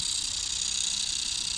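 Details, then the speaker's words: Car headlight leveling motor, tested on the car: a thin, steady high-pitched rasp as it keeps trying to finish its travel but a small internal plastic gear is stripped. "Ama içerisindeki dişli sıyırdığı için Oraya geçemiyor Ve bu şekilde ses yapıyor"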